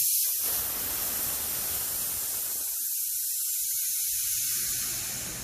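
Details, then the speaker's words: Nitro cold brew keg pressure relief valve pulled open: sharp, loud, high-pitched nitrogen hiss, fading over a few seconds as gas vents; normal pressure relief venting. "so you can start by kind of releasing the pressure slowly and you can start to hear the nitrogen hissing out and then you can open it more and more and then you can just completely open it if you want to release it very quickly"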